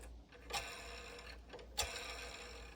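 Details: Bambu Lab P1P/P1S/X1C Y-axis linear bearing, removed from the top assembly, rotated by hand along its rod: faint smooth sliding with a couple of light clicks, quiet here, though a worn bearing grinds mid-rod where it cut a groove.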